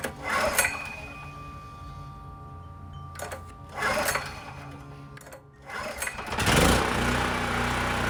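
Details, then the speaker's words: Generac LP3250 propane generator, about 7 years old, first start, after choke and primer attempts flooded it: engine surges and sags unevenly, hunting; owner thinks excess propane had to dissipate, regulator and carburetor seem to work. "it's not sounding too good i think the good news is at least the regulator and carburetor seemed to work i mean it did start after i shut the propane off i think some of it had dissipated and mixed a little better with the air so once it was going it was hunting a bit"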